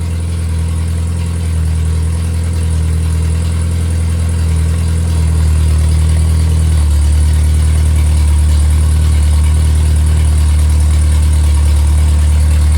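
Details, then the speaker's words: Freshly rebuilt MG Midget/Triumph Spitfire 1500 performance four-cylinder (shaved head, flat-top pistons, 270 cam, balanced, dual springs, dual timing chain, new rocker shaft, about 190 psi compression) idling smooth and even with no knocks, ticks or misses; normal idle. "Uh compression uh is about 190 uh across the board and uh it runs very well. It's been balanced."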